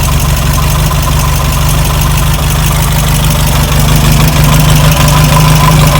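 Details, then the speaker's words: Air-cooled VW Beetle: rhythmic knock about three per second over rough idle, heard with the fan and belt refitted; traced to the fan or alternator, suspected not confirmed; fixed with replacement parts and a serpentine belt upgrade. "Yep. That's what it is. It's the fan or the alternator."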